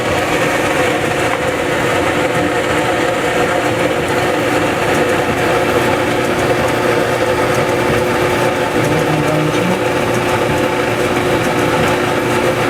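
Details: Maytag Dependable Care Plus dryer after its belt was reseated and the scraping cured: a smooth, constant rumble and whoosh with no squeal, thump or grinding, so the drum drive runs normally.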